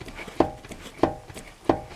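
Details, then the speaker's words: Worn inner tie rod: three sharp metallic clunks, about one every two-thirds of a second, as the wheel is moved. The inner tie rod sleeve stays still while the rest moves, the ball has a lot of play, and the dust boot hung loose with grease lost. "there seems to be play in the tie rod somewhere this inner tie rod sleeve does not move while the whole rest of the tie rod does"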